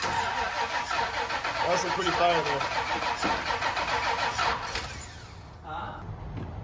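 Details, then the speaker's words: K30 Blazer after Holley Mid-Rise Ram intake install, starting fluid sprayed into the manifold: steady starter cranking that never catches; no-start from crossed coil pack wiring. "well that took about 300 tries to get this thing to fire and all all an engine needs to turn over is going to be fuel air and spark"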